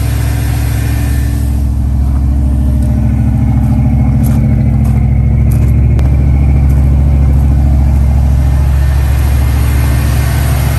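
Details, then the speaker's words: 1969 Dodge Dart V8 idling after a cold start while warming up for the choke to open: deep, loud, uneven lumpy beat of roughly three pulses a second, running rough. Owner says it definitely has a burnt valve or two, not fixed. "it's definitely got a burnt valve or two but there's nothing i can do about that right now"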